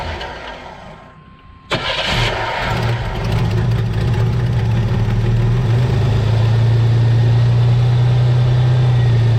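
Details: 1985 Chevy S10, started after replacing leaking valve cover gaskets, vacuum lines reconnected; cranks and catches quickly, then smooth, even idle with low steady hum, no misses or ticking: normal idle, no oil leak afterward.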